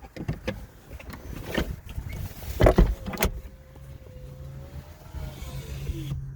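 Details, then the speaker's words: Mazda MX-5 with an aftermarket MX5 Things automatic roll-up window controller: smooth electric motor whine for a couple of seconds as both windows close fully and stop cleanly; correct operation this time, although other attempts behaved inconsistently. "All right, both windows all the way up. That's what it should do."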